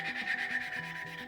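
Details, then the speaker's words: Subaru 2.5 head gasket job, hand lapping valves in the cylinder head: rhythmic back-and-forth rasp of the lapping tool, even and soft without gritty catches, showing the valve has seated in. "Alright, you hear that wonderful sound of smoothness."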